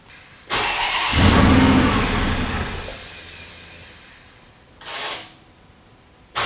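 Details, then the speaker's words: Twin-charged Hemi's first start after a year of build work, exhaust cutouts closed: it fires with a loud bark, revs briefly, then sags and dies within two seconds, followed by short restart bursts. It starts but won't run on its own yet and needs tuning. "oh my God I mean it's just it's crazy it starts it starts it doesn't run not well but it does start"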